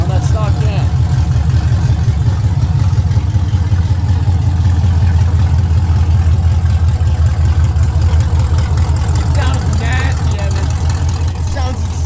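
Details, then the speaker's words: 2022 Chevy Camaro LT1 V8 with newly installed BBK long tube headers, at idle: loud lumpy idle with a fast tinny rattle about three a second from a loose secondary-cat heat shield clamp; code P0171. "bro oh my God that noise that sounds like the motor's about to send a rod to God is actually just one of the heat shield clamps on the secondary cats that we didn't tighten back down so it's vibrating at idle like crazy"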